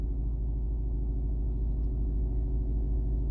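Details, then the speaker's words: Smart 451 1.0 petrol with an intermittent no-start from a clutch actuator fault (P0886): low, even rumble with a steady idle rhythm and no knocks or misses; it is running normally at this moment. "Y te deja arrancar el coche el coche no tiene ningún fallo ni nada"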